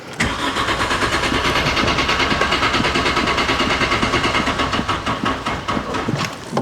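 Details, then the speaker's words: VW Corrado G60 on a jump start: the starter spins the engine briskly and evenly for several seconds but it never fires. Cranks without starting; no fuel pump is heard, so a fuel pump fault is suspected. "Okay. So, we have crank. We do not have start."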